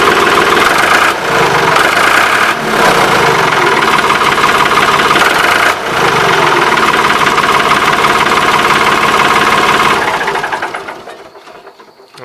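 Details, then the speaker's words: Ford 3910 tractor diesel running with its old muffler, whose weld is broken after repeated repair attempts; loud raspy unmuffled chuff on every firing before muffler replacement. Exhaust leak. "here's what it sounds like with the old muffler so uh i'm gonna get this muffler off of here and i'll show you guys the main problem with this muffler the weld down here is actually broke"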